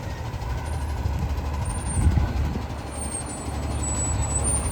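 Deep, raspy roar from the diesel that swells with throttle over a rough low rumble; that blowing note points to an exhaust leak.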